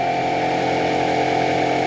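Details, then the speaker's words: 2017 Ram 1500 fourth-gen air suspension compressor refilling the system: constant raspy whirring drone with a faint whistle; compressor sounds worn and rough, owner plans to replace it. "fix the leak and the compressor's happy I mean it's not happy it sounds like crap I definitely am going to replace it anyways"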